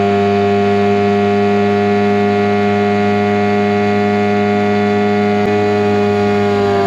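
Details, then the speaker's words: 2003 Mercury 15 hp two-stroke outboard, first top-end lake run: high, steady wailing drone at wide-open throttle, no misses or stumbles, easing slightly at the end; normal full-throttle run. "it's gonna be my first time trying to run on top end so let's see how it's going to performs"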